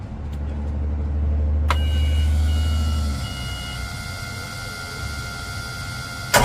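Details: Boat engine dry-fired on open manifolds with no exhaust or catalytic converters fitted: it cranks, catches and settles into a loud, raw, unmuffled rumbling idle, described as sounding terrible.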